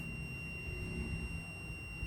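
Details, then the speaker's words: Two-door refrigerator defrost timer tested with a multimeter: a steady, unbroken high continuity beep over a low hum as the contact moves from terminal 4 to terminal 2, feeding the compressor. The timer is still good and usable. "Hai Nah kalau pasta gigi di pindahin dari socket 4 ke soket2 itu nyambung atau ngasih aliran ke kompresor itu menandakan Hai timer ini Hai nih nyambung ya"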